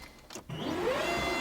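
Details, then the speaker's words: Freshly built AWD Honda Civic Si (EM1), aiming for 1000 hp, JBR short block, at key-on before first start: loud steady electric whir with a slight rising tone; high-output fuel pump priming normally. "Oh man, that fuel pump scares me. Scared me, I should say. Forgot how loud it was."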